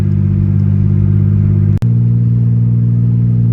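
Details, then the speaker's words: 1988 Ford Ranger, heard in cabin at idle: muffler fell off, exhaust broken apart at the muffler and between the catalytic converters and the exhaust; owner suspects it broke on the road. Loud, deep blatting unmuffled rumble, a raw bark from the leaking pipe. "it is, yeah, like broken apart there. I think that's what probably broke while going down the road, but I'm not 100% sure on that, everyone."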